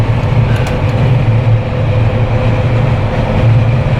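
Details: Jeep Wrangler with LED light bar after a no-cost whistle fix, at about 115–120 km/h on the highway: only a steady low rumble of wind and road, no whistle or tone; only the wind hitting the Jeep itself.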